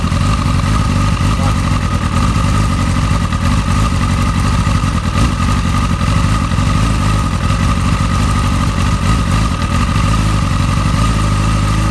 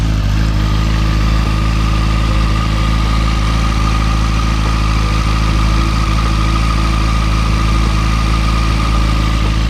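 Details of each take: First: Motorcycle with an ongoing rough-idle problem, before spark plug replacement: loud, lumpy idle whose beat wavers and pulls down near the end; cause not yet known, and the owner plans to try new spark plugs first. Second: Motorcycle just after new spark plugs replaced the old ones: the idle holds a steady, even low drone with no hunting over ten seconds, unlike the earlier up-and-down idle. It sounds smooth.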